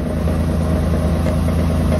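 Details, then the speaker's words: Steady idle drone with a buzzy metallic vibration from a Chevy Astro van, heard underneath near the exhaust; muffler in poor shape, something loose vibrating against the body. "now doesn't move still hear that vibrating though that's coming from over here"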